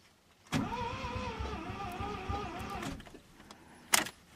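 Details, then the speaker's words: Mazda RX-7 with fuel pump relay jumped, no fuel pump heard. Starter groans slowly for under three seconds with sagging, wavering pitch and no catch: slow cranking from a weak, too-dead battery. "the battery is a little bit too dead"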